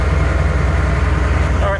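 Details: Ford L8000 truck crane with what appears to be a Cat 3208 diesel, first start after four or five years sitting: deep, steady idle with an even low thrum, no knocks or misses, running smoothly while building air.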